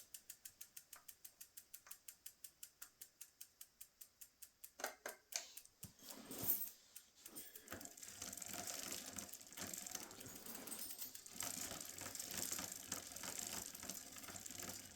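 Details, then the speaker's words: Cannondale bicycle after removing extra chain links: in the lowest gear (biggest rear cog, smallest front chainring), fast chain ticking, then a rough scraping as the chain rubs on the guard; the owner suspects the derailleur needs adjusting. "And we have a little bit of rub on that. Which that noise drives me nuts. I don't like hearing that noise."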